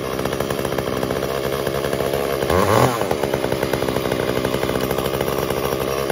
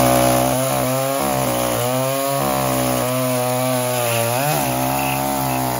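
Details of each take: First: Echo CS-345 chainsaw cutting wood before carb adjustment: screaming two-stroke sags and labours each time the chain bites, pitch dropping under load; bogs down from a slightly lean high-speed (H screw) mixture, later fixed by richening 1/8 turn. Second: Echo CS-345 chainsaw that bogged and died under load from a lean mix, after richening the H screw 1/8 turn counterclockwise and lowering idle: high revs hold pitch as the chain bites, dipping slightly and recovering cleanly; normal cutting under load.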